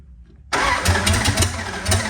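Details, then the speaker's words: Duct-tape Dart V8 start after work, wiring butchered: short crank, then catches and runs with uneven lumpy pulses and surging; timing issues, rough running after start. "Okay, well, we definitely have some timing issues and stuff, but it does start, so that's something."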